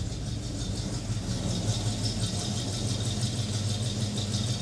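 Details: 1956 Chevy small-block V8 (new HEI distributor, valves just set, new exhaust gaskets) after sitting two years outdoors: steady idle with a light, fast ticking clatter on top, likely an exhaust leak near the manifold rather than a lifter.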